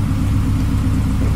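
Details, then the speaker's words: Honda Civic running again during its rebuild, idling: smooth, deep, even idle with a steady low rumble, no knocks or misses, not harsh even at idle; the engine sounds healthy. "Ang ganda ng tunog, no? Hindi siya nakakarindi kahit idle lang."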